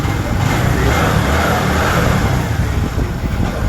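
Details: Motorcycle engine running after its air filter was replaced, which was done to fix an abnormal engine sound. Deep, steady exhaust note with a smooth firing rhythm and no rattle or popping. Normal running.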